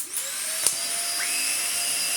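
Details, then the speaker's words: Dyson DC50 Mark 1 small ball vacuum, about 10 years old, after new motor fitted and outer seal greased: steady high-pitched whine, no squeal or wavering; previous squeak cured, running normally. "It's still flimsy, it's still a bit meh, but it is working. It will be mediocre for some time to come now. Yep. And we've cured our little squeak."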